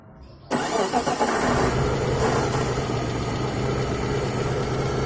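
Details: Mitsubishi Galant V6 engine test after fitting new rod and main bearings: cranks and catches, then steady even idle with no knocking; normal idle.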